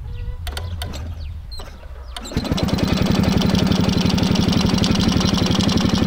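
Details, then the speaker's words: Homemade tractor with ČZ 175 two-stroke engine, first runs after 25 years standing, after refitting a crooked throttle slide that had held it at full throttle: catches after clicks, steady even beat, no surging; normal idle. "Tak tenhle zvuk se mi už líbí."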